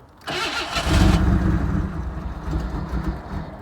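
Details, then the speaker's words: 1991 Camaro after AC compressor replacement: engine cranks briefly, catches, then stumbles with an uneven, hunting idle needing a little gas to stay running; hard starting, cause unknown. "Oh, you gotta give it a little gas. Hold up. Oh man, she tripping."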